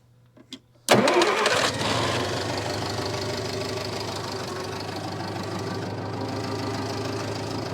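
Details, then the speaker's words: Massey Ferguson MF711 hydrostatic skid loader, sat 20–25 years, with rebuilt magneto and carburetor. Quiet, then a crank and it catches within a second, settling into a steady, even idle; normal start and idle. "little mfer is live and well I think at least the engine part uh we going to have to dive into to the Hydraulics a little bit but accomplished will it start after sitting 20 to 25 years yes it will"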